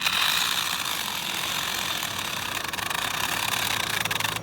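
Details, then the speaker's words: HBX Transit RC car driven over an obstacle, pinion and spur gears nearly stripped: harsh high-pitched gritty grinding and ratcheting pulsing under load from the worn gearbox. "yeah you can hear that gearbox"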